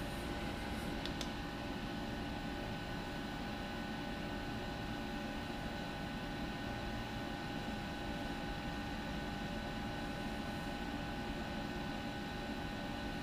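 A quiet, steady compressor hum with a soft, even fan rush and no knocking or rattles; the unit is running normally.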